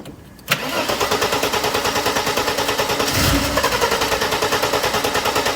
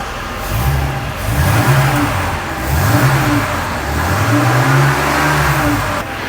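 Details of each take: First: Mercedes R107 300 SL, crank-no-start, fairly new Bosch leads: steady rhythmic cranking about three beats a second that never catches; spark probe shows only intermittent spark, distributor cap suspected. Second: Mercedes R107 300 SL, after fitting a modified part, which had cut out, backfired when revved hot and wouldn't restart until cooled: repeated clean rev blips returning to idle, no stumbling, popping or cutting out.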